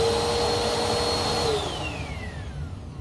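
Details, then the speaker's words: Bissell Powerforce Helix purple brushroll after replacing its rusty, locked-up bearings, with a new belt fitted: a smooth, steady whine with no rumble or rattle, and the pitch drops evenly as it coasts down; healthy brushroll spin, almost like new. "let's hear how smooth it sounds that's almost like brand new"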